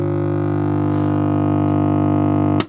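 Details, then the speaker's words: Deafening steady mains hum that shakes the bench as the valve warms up in an unrepaired Dansette Major MK2 record player; caused by failing 50-year-old mains smoothing capacitors. "that is making the bench shake. Deafening hum. So when you see people list these and they say, when you turn it on it hums, that's very often what they mean."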